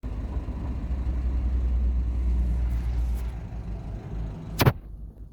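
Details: Talbot Express, warm engine at idle: steady low rumble with no stumble or skipped beats. The misfire present when cold is gone once warm.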